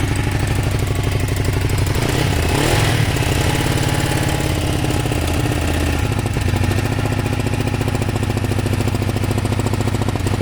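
Loud, lumpy idle with a stumbling, irregular beat and uneven low thump instead of a steady twin rhythm; a misfire, cause unknown.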